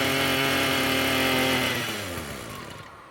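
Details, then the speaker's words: Roadside-found Echo SRM-210 two-stroke string trimmer, first start on choke after carburetor rinse and new purge bulb: buzzy note holds briefly, then sags and dies within about two seconds; won't idle unless held up, idle screw bent and set too low. "It won't run on idle. Looks like if I manually hold that idle up a little bit, it'll stay running."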